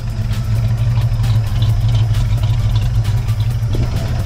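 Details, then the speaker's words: 1965 Mustang, roller 302, rebuilt Holley 4010 carb, warmed up after idle mixture screws turned down to two turns each: deep, steady burble with an even low pulse, no stumble or misfire; blue smoke gone, no drips. "and it's idling right now that I've got those idle mixers turned way down I don't see any drips so I think we're good"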